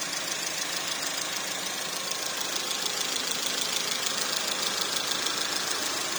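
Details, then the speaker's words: Porsche Macan 2.0L turbo (shared VW/Audi engine) after cam cover reseal, timing checked at 124 mm (spec 124–127): steady idle with fine even high-pitched tick about 200 per minute, settles smooth, no cluster faults; normal idle. "There's no faults in the actual cluster. Everything's normal. Alright, everything's back to normal, so I'm really happy with this job here."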